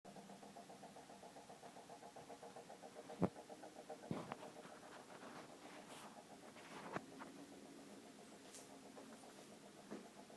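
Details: Refrigerator making a weird, recurring noise: a quiet, fast buzzing flutter over a low hum with a few stray clicks; cause unknown.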